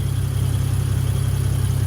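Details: 1986.5 Toyota Supra MK3, 2JZGTE VVTi swap on EMU, DIY cold-start air valve from Aristo parts: cold idle, no throttle; low even hum, steady pulse, no stumbles or hunting; smooth, though idle sags when cold with AC and headlights on.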